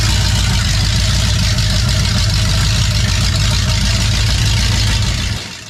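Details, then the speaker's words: 28 Special crate 602 dirt late model race engine idling after electrical issues sorted; loud choppy lumpy idle staying even until shut off, sounds better; rear leak still present, possibly at a gasket. Normal idle. "It's okay. That sounds better."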